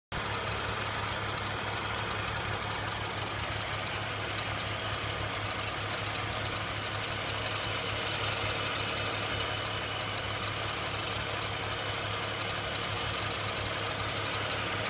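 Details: BMW E46 330Ci petrol engine at steady idle with bright busy rattle-like ticking from the front of the engine over the low hum; cause unknown.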